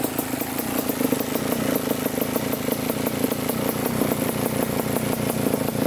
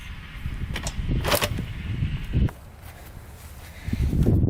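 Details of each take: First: 1987 Kawasaki Tecate 4 250cc two-stroke quad after the fully closed air-fuel mixture screw was corrected: a steady, even idle with crisp regular firing and no misses or surging, a normal idle. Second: 1987 Kawasaki Tecate 4 250cc two-stroke quad: repeated dull kick thumps with no firing, because the kill switch was in the off position; the middle position is run.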